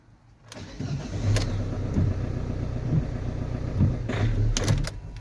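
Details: Ford Transit Connect on a cold start: starter churns with a low rhythmic beat while the engine is slow to catch; hard cold start with long cranking, cause unclear, and no engine ticking heard.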